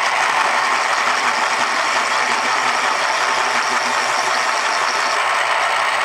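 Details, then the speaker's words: 1980s Panasonic KP-110 electric pencil sharpener (100 W, 1.2 A, made in Japan), stored unused 8 years in a damp basement, sharpening a pencil before repair: steady harsh whirring grind with dry rattly edge; dry motor needing lubrication, possibly rusty inside. "it needs a little bit of servicing you hear the sound which means it is in desperate need of lubrication it may even be rusty inside"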